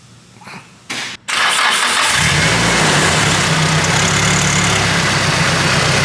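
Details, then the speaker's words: Nissan Silvia S14 SR20DE newly fitted with a turbo (stock DET manifold, GT2860RS): brief cranking, then it catches and settles into a steady, even idle with no knocks, quieter than before; normal start, no leaks so far. "Quieter now, isn't it? It is. Just on startup. No leaks so far."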